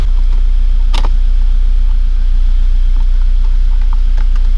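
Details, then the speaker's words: GT86 refitted engine with new forged pistons, rods, valve springs and oil pump, idling to warm up until the fans cut in for coolant bleeding: steady, low, even rumble with no knocks or misses; normal warm-up idle. "so basically now I'm just um waiting for the coolant temperature to get up um so that we can bleed the coolant properly"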